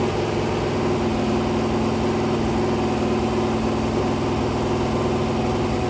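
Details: Rebuilt 426 crate Hemi on a run stand during cam break-in, about 150°, 32 degrees timing: steady, even high-idle roar around 2,400–2,500 rpm with no knocks or ticks; fresh engine sounds healthy.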